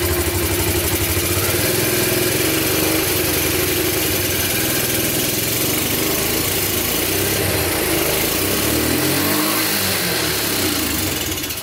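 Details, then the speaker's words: Abandoned Yamaha Breeze on a cold day, started with gas poured into the carburetor and the air filter off: a loud single revs and sags unevenly, never settling into a steady beat. Rough idle; owner suspects spark plug, missing air filter, choke or air leak. "all right well it runs pretty good it's not wanting to stay idling well for some reason it could be the spark plug or that the air filters not on it"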